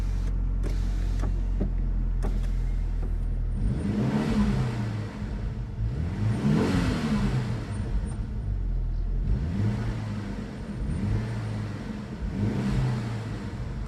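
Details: Diesel, cold start just after fitting a TD04 turbo: settles into an even, steady idle between a few quick blips of revs, no knocks or rattles, still a little smoke expected to clear; runs healthy.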